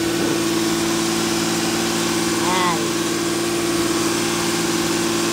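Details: Toyota Camry 3.5, idle for about a year, now starting after replacement of the ECU, smart key and steering lock; rat-damaged sensors give a check engine light. Engine still cold; steady hum idling too high and not dropping, possibly a leak, unconfirmed.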